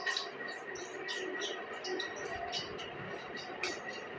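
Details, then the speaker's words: Ceiling fan makes quick, high "chee chee" chirping squeaks about three per second over a faint whine when switched on. The bearing grease has dried out with age, and the bearings need cleaning and regreasing. "जिस तरह हमने पंखे को on करते हैं तो ये ये ची ची ची की आवाज करता है"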